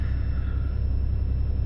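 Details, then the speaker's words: 90 Series Toyota Prado after fitting a DIY 155 L long-range main tank (214 L total), idling after switching between sub and main tanks without dying: steady, even low rumble, no misses, knocks or hunting; normal idle. "that's been switched back over it hasn't died oh my God it runs it currently runs I can't tell y'all how happy I am of that"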